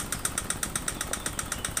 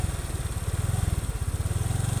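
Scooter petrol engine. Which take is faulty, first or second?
first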